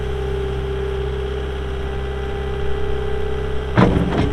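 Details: 2022 Caterpillar 259D3 skid steer, 2,058 hours: low, steady diesel idle with even unbroken beat, no knocks or misses, one brief clunk near the end; normal idle.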